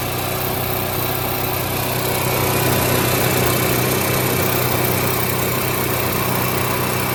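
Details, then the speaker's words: Onan 4000 KY series generator after repair (new plug, oil, fuel filter, fuel pump, cleaned carb, choke coil adjusted); altitude screw turned counterclockwise with pliers until surging stopped, now steady even drone with no hunting: normal running. "Using pliers, turn the screw counterclockwise slowly until the generator smooths out."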